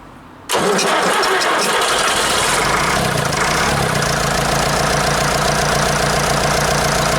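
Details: 1953 Nuffield tractor diesel, cold start using the cold-start button after injectors were serviced, refitted and bled, on a weak battery: brief crank, then catches and settles into a fast, steady diesel clatter with no misses or knocks; healthy cold start.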